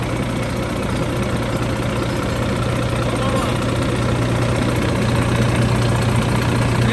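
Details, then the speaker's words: 2013 Volvo FM 410 hp 4x2 tractor diesel, cold engine, oil pressure fault code: steady even idle with low rumble and no knocking, yet gauge drops from about 2.8 to 1–1.5 bar, too low when cold; a loss somewhere is suspected, not confirmed. "двигатель у нас холодный масло холодное должно быть гораздо больше такое показание должно быть только на горячей"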